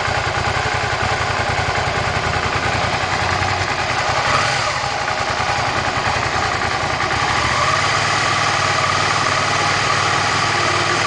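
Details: Suzuki SV650 V-twin at cold idle: a loose, uneven mechanical clatter over the exhaust beat, cause not pinned down. Engine noise at cold idle.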